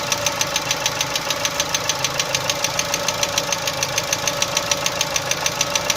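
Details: Chevrolet Cruze 1.6: sharp, even metallic tapping about three times a second over a steady idle; engine knock, source unclear.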